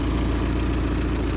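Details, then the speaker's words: Peugeot 206cc bought to repair and flip, very low on fuel: low, steady idle with even exhaust pulse and no tapping or ticking; sounds healthy, exhaust to be replaced. "sounds all right no tap in no ticking anything yeah you'll probably pick it up on it you can hear the exhaust flowing"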